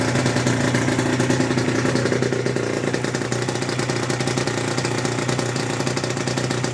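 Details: Aprilia RS125 Rotax 122 two-stroke, first start after full rebuild (new piston, conrod, bearings, balance shaft gears, clutch; 12.1:1 compression): raspy idle with steady whine from a very tight engine; owner assumes new tightly meshed balance shaft gears wearing in, whine later receded.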